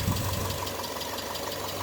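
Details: Naturally aspirated 2.2 EJ22 at 117K miles, cold idle on a very cold day, check engine light believed to be an O2 sensor: a light, quick ticking over the steady engine note, a mild valve tick.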